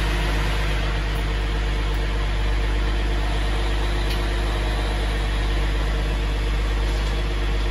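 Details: 2014 Jeep Grand Cherokee EcoDiesel idling right after an oil change and fuel filter replacement, with the fuel pump primed first: steady, even diesel clatter and a smooth low rumble, no knocks or misses; normal idle.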